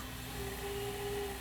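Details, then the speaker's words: Panasonic PV4361 VCR (1993, OmniVision) after repair, reverse search: a soft, steady mid-pitched whir held evenly for about a second; the tape transport runs smoothly in reverse. "that's working. Pause is working. Okay, everything on this thing's working."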